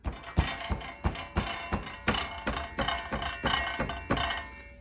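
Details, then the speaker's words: 2022 Can-Am Ryker: tapping the rear trunk brings out a short metallic ringing rattle that sounds like the exhaust, caused by a loose metal plate under the driver's seat that runs under the gas tank, a design issue. "So what we have going on here is there's a metal plate sitting underneath the seat that it kind of goes underneath the seat and then under the gas tank itself."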